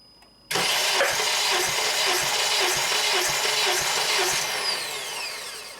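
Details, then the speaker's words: 2007 Honda Accord EX sedan, 2.4L K24, compression test on cylinder 3 with plugs out, injectors disabled and throttle wide open: even cranking beat of about two pulses a second with no firing; reads about 182 psi. "Okay, now we'll test number 3. Okay, wide open throttle. Go ahead and crank"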